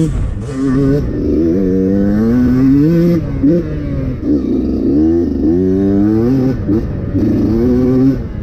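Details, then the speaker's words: Yamaha YZ125 two-stroke started cold without choke: ragged, burbling idle with uneven pitch and sputters, running very rich, smoking and dripping oil from the silencer; jetting changes helped but the cause turned out to be a carburettor float problem letting fuel leak. "First test, we're going to try it without the choke. Yeah, that sounds really rich already."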